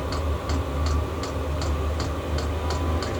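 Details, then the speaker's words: Chinese diesel heater at start-up after replacing noisy worn ball bearings, no heat yet; steady light fuel pump ticks about three per second over a low blower hum as the fan revs up faster, old noise gone. Normal fuel pump clicking. "and there's been none of that just just the fuel pump clicking just the thing revving up no heat yet but it is it is revving up faster"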